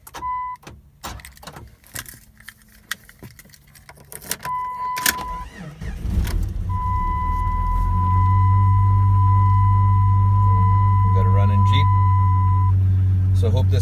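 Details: 1997 Jeep Grand Cherokee after the alarm was bypassed by disconnecting the lock switches: key rattle and an alarm chirp, then the engine cranks, catches and settles into a smooth, even idle.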